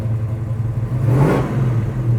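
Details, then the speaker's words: 1970 Chevrolet Chevelle Malibu SS clone restomod, big-block V8 parked: deep rumble swells on a single throttle blip and decelerates smoothly back to idle, no rattle or misfire; healthy. "listen to the deceleration there"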